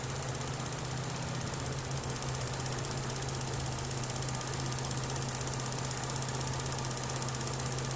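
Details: 2012 Chevy Cruze with a flashing check engine light and suspected misfire: an even, steady low hum at idle with no stumble or skipped beat, and misfire counters read zero. It runs smoothly on all cylinders here.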